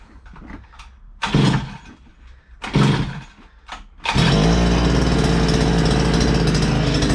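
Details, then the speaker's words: 2-stroke strimmer just primed, choke on, throttle stiff and sticky; three sputtering pulls then catches into steady rough buzz; running on choke; kill switch later found not stopping it. "That throttle's a bit stiff and sticky, but we might just have Oh, yeah. Put the choke on."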